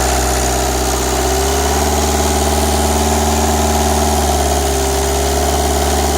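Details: Renault Express diesel after head gasket and timing replacement: steady diesel idle with an even, settled clatter, no misses or knocks, no abnormal noise and less hose pressure than before; engine running smoothly and healthy.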